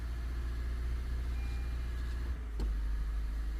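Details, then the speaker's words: 2017 Honda Vezel Hybrid with cold-start misfires, power-braked under load; deep, uneven rumble with stumbling beats about three to four a second, rough on cylinders two and four. Misfire from an ignition coil left unplugged. "yeah you're feeling a rough idle on number two number four all right let's go back and see why we have that"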